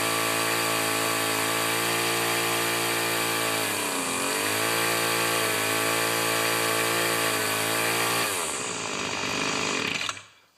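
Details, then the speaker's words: Two-stroke weed trimmer, primed, started on full choke, runs poorly despite carb adjustments; owner suspects primer bulb seal: high buzz sags and dips around four seconds, recovers, then falls off and quits; uneven running. "yes my friend this is mine and it's not running good it runs and then you adjust it and it runs and you adjust it"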